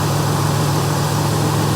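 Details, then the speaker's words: 1992 Buick Century with 78,000 miles and the 3300 3.3 L V6, at auction: a steady, smooth low idle with no misses, knocks, ticks or smoke, only slight muffler noise. A healthy engine. "there's that 3300 little 3.3 liter v6 turn like a kitten man"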